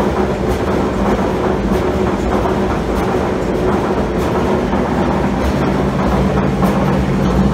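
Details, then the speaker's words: Admiral AED4675YQ1 dryer running empty: loud steady rumble with constant clattering rattle; owner unsure if bad bearing or lacks grease; also no heat. "like so working but uh definitely got some some noise issues I don't know if there's a um bad bearing or if it needs greased or what"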